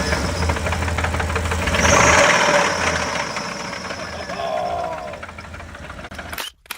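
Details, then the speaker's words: Ford Expedition 5.4L three-valve Triton engine, sludged from neglected oil changes; sharp regular knocking about four per second over the engine, quickening with revs: sounds like rod knock. "according to the video it sounds like Rod not to me so I'll I'll let you listen to it now"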